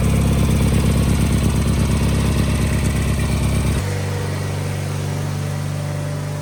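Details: Wheel Horse 520H garden tractor with a Kohler engine, revived after sitting, running off its own gas tank: a strong, even engine note that steps down to a smooth, steady lower speed partway through, with no misses or knocks; runs great.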